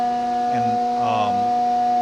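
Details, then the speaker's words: Steady high ringing chatter as the end mill helixes down into the center pocket of a billet aluminum PTO cover for an RTOF 9513 transmission (International 4070B). The mic is on the operator's chest. It is a tool resonance harmonic. "here's a prime example of kind of that uh harmonic. If if if you can hear this, then that's why it's kind of has that ring sound to it."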